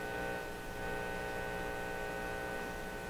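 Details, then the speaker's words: Canadian General Electric KL-96 radio that suddenly went silent: a loud, steady, constant-pitch buzzy hum with no program behind it, sounding like an open ground; the audio stage was later confirmed working from the phono input onward. "It just doesn't seem to be like a loose connection. Oh, jumper. Oh, man. Okay, everybody get back on your chairs. Now that sounds like an open ground."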